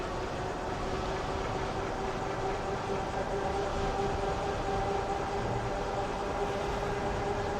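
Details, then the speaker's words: Euphree Stellar Falcon 2 e-bike hub motor on throttle at about 22.8 mph: faint steady mid-pitch hum under wind and road rush; quiet normal motor, quieter than the original Stellar Falcon. "It's nice and quiet now with the new version."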